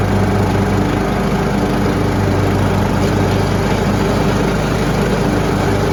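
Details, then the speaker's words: Troy-Bilt Pony riding mower after replacing the deck spindles and blades, with the blades engaged for the first time. It had cut poorly and made bad noises under load before. Now a steady, even drone with no knocks, rattles or squeals: normal running. "hopefully it's just a nice purr and we're going to go hit the lawn and see what we get so let's give it a shot"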